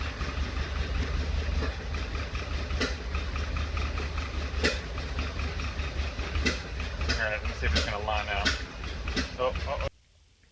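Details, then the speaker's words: 1931 Ford Model A, stored in a barn 10+ years without running, first restart on 6-volt battery charger, in neutral: uneven chugging with sharp irregular pops every second or two back through the carburetor; owner suspects a sticking intake valve. "right died but carburetors popping back through the carburetor I can't tell if it's a valve ticking or if it's carburetor I think it's a valve sticking"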